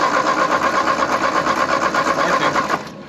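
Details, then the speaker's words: 1939 Ford 9N tractor with a used engine rebuilt 30 years ago, not run in over a year and a half, ATF in cylinders, weak intermittent spark: steady starter chug about three beats a second, never catches; crank no start. "no i think that spark for whatever reason is not strong enough to ignite it at this moment"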